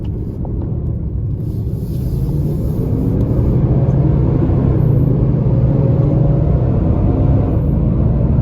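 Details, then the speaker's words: 2022 Nissan Titan cruising with the viscous fan clutch stuck locked: loud continuous jet-like fan roar over the engine that stays up the whole drive; failure comes and goes, and the dealer could not reproduce it. "listen the fan is locked up the entire time it's still locked up that's all fan noise got to be proof enough"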